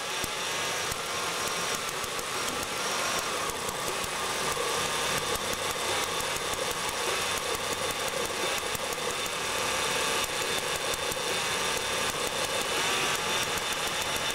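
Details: Ford petrol engine idling with an uneven, stumbling beat, a misfire; a coil is suspected, not confirmed.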